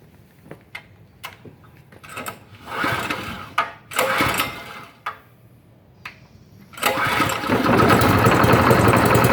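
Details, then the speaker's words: Gasoline engine driving a petrol air compressor: switched on and started with a few sputtering recoil pulls, catches near seven seconds and settles into a steady, even run; healthy start. "Oke jadi seperti itu ya cara menyalakannya ya Jadi ini on terus tarik request starter dia akan menyala ya oke"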